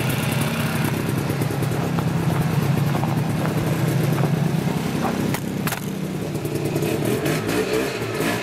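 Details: Yamaha Bravo 250 snowmobile two-stroke, after cleaning Keihin carburetor that had bogged on throttle once warm: buzz rises and falls cleanly through revs without stumbling or bogging; healthy acceleration.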